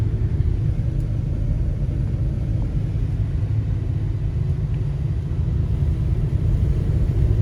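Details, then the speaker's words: Buick estate car revived after about 13 years off the road, accelerating after a stopping test: a steady low rumble that builds evenly, with no hesitation, reaching speed easily and shifting through all the gears. Smooth, healthy acceleration. "nice smooth acceleration again doesn't have any hesitation now i highly doubt this thing could do a burnout but get right up to speed no problem goes through all the gears"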